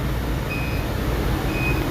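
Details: Blue Air fridge showing "UFn" fan-fault code: two high alarm beeps about a second apart over heavy low rumble; faulty vapor fan, fridge also dumps water on the floor; fix is wiring in a three-wire computer fan.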